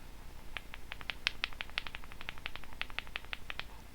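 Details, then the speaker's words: Electrolytic capacitor removed from a buzzing Behringer B300 powered PA speaker, shaken by hand: uneven light clicks, about three a second, from something loose inside. Owner suspects a fake cap with a smaller salvaged capacitor inside; not confirmed. "I don't know if you'll be able to hear this but if I shake the cap you can hear something rattling inside what does that make you think"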